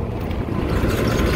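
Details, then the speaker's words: Kitchen bar AC unit on a no-cooling call, with water pouring from the unit: a loud heavy rumble with an uneven shaking throb. The blower is vibrating badly; something is suspected stuck in the blower wheel, and it needs maintenance. "This thing's vibrating to all hell. Really bad."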